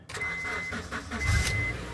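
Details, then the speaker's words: Honda CL9 after replacing the faulty number 3 coil pack that caused a misfire: quick crank catches straight into a smooth, steady idle with no stumble; the engine starts cleanly. "oh it sounds good good okay so Co Pack 3 was the bad one"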